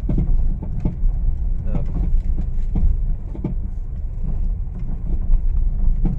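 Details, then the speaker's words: Honda Mobilio test drive on rough village road, silent on smooth road: irregular dull knocking from the suspension, loud and heard in the cabin, under road rumble; traced to a loose stabilizer link. "bunyinya itu ramai banget nih bunyinya sangat-sangat tidak nyaman didengar terdengar sampai ke kabin tentunya"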